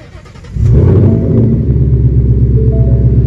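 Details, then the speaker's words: Normal cold start on a Ford Mustang GT running on freshly filled E85 fuel, before the E85 tune dyno pull: it fires within half a second into a deep, steady rumble with no stumble or rattle, sounding normal. "all right guys so this is the first startup on the 85 see how it does"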